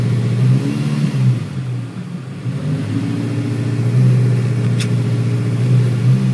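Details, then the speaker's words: 2014 Chevrolet Malibu with intermittent stalling, under load: uneven, stumbling low drone with irregular dips. Cylinder four has a bad misfire, with some on three. It needs a new ignition coil on number four plus all plugs; valve cover gasket is leaking into the coil area. "so like that's pretty easy definitely needs a coil that's now in the number four"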